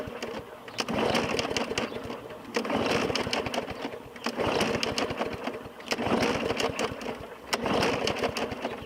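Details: 2017 Murray 21" mower, Briggs & Stratton 450E engine: repeated pull-cord bursts about two seconds each spin it without catching after primer pumps and fresh oil; no-start from a clogged carburetor bowl fitting, though owner doubts the carburetor.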